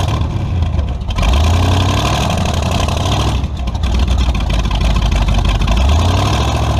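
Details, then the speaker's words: Tunnel-ram 350 V8 with two Edelbrock 600 cfm carburetors (1405/1406), after fixing the vacuum leak and adjusting the metering rods: revs rise unevenly, sagging and hesitating as the throttle opens, then recover. "all right i think i screwed up film in there that uh fixing the vacuum leak didn't solve my problem neither did adjusting my metering rods still got a pretty good stumble to it so back to the drawing board"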